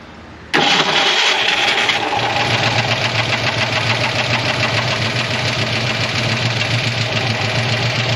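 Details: 1985 ASC McLaren coupe V8, newly built engine, unrun since 2002, first start with carb-bowl gas, manual choke and eyeballed timing: loud, uneven rough idle while a nest blows out of the exhaust.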